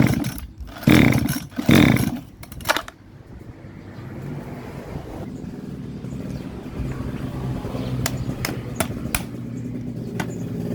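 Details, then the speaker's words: Model 411 two-stroke brush cutter: engine swells loud twice in quick bursts, then drops to a low uneven run; two bolts holding the carburetor to the reed came loose, the carb flange no longer seals, starving fuel; surging from air leak, reed replacement needed. "น็อตยึดคาบูจากหลีดถอนหลุดออกมานะครับ2ตัวทำให้ตัวนี้ดันออกมาแล้วก็ทำให้แป้นแป้นคาบูนี้เข้าไม่สนิททำให้เครื่องเร่งไม่ดูดน้ำมันเข้ามาน้ำมันก็เลยเข้ามาไม่พอเรื่องเครื่องก็เลยเร่งบ้างติดบ้างไม่ติดบ้างนะครับ"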